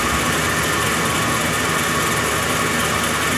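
Steady, even V8 idle with no squeal or chirp from the belt side; the idler pulleys now run quietly.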